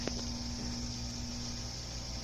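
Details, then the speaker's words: Frigidaire Gallery Professional dishwasher after wash pump motor repair (stripped plastic shaft), start of test cycle; quiet, steady mid-pitched drain pump hum with no rattles or grinding, draining normally before fill. "so now the the pump starting to drain first"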